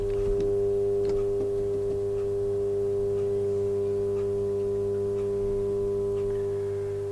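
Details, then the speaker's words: Vintage Oxford RT110 MMA welder switched on after sitting 10 years: steady low mains hum with firm buzz, no crackle or chatter; transformer energised and normal. "in fact it's humming it's a good sign it's on it should hum that's a good thing"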